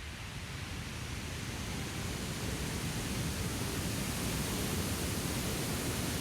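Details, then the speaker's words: Acer Predator Helios 300 2022 laptop in Turbo mode: steady loud airy rush of AeroBlade 3D metal fans reaching 7,000 RPM under heavy load, swelling slightly, no rattles or ticks; normal mode is quiet. "Tapi anehnya saat mode Turbo aku jalanin suaranya agak berisik gitu ya karena kipasnya nyampe 7.000 RPM padahal saat dicoba tes main game dengan mode Biasa aman-aman aja tuh tapi itu wajar sih"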